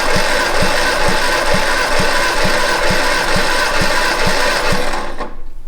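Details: 1962 Austin Healey Sprite MkII engine after 10+ years in storage, cranked by jumping the starter: even, strong compression thumps about twice a second with no skips; the cylinder tested holds good compression, though number four read only 90.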